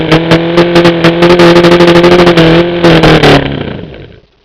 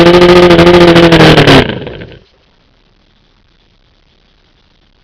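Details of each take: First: OMC 125 hp outboard on a dyno after replacing the faulty VRO fuel pump: steady, even low drone at constant speed, then a clean shutdown. It runs well without pumping the primer ball, so the fuel delivery problem is solved. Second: OMC 125 hp outboard on a dyno: runs with a steady drone under two seconds then dies into silence as the float bowls empty and the weak VRO pump cannot refill them; fuel starvation from a bad VRO fuel pump.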